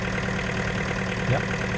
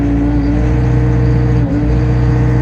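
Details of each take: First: Takeuchi TB260 mini excavator with Yanmar 4TNV diesel, at low idle after a new electric fuel pump was fitted for bogging under load: steady, even, smooth idle with no misses or knocks. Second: Takeuchi TB260 mini excavator with Yanmar 4TNV diesel: a steady high drone that sags and stumbles under load while the alarm sounds, unable to hold revs. Bogging down from a fuel-related problem.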